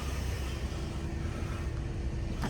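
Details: 2006 Scion xB warming up after new spark plugs, a cleaned MAF sensor, air filter, intake piping and throttle body: steady, even low rumble with no misses, knocks or ticks. Smooth, healthy idle, though it took a while to warm up.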